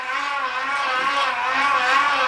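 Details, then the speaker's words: Homemade pedal generator, Unite MY1016Z3 24V 350W motor, 24-to-9 tooth chain drive into 400W inverter, now also powering a lamp; motor winds harder with more pedal resistance; steady mid-to-high whine with slight wavering pitch; normal under heavy load. "you can hear the motor motors winding a little bit more meaning that much more power is needed and I can definitely feel resistance on this right now to keep this up"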